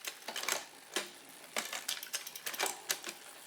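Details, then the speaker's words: Shimano front derailleur after setting limits, cable tension, straightness and height using indicators: quick crisp clicks as chain climbs onto big ring, no rub or grinding; shifting much more crisply now, normal front shifting. "But again, I'm going to test this. I'm going to test my limits. It's shifting up there much more crisply now."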